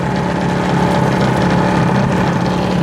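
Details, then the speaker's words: Half-horsepower Century repulsion-start induction electric motor, early 1900s, from a 1905 church organ blower, original paint and windings, powered up: loud steady low hum with constant buzz, no knocks or scraping, runs up and holds speed; normal running. "but let's put some power to it see what happens and it fires right up"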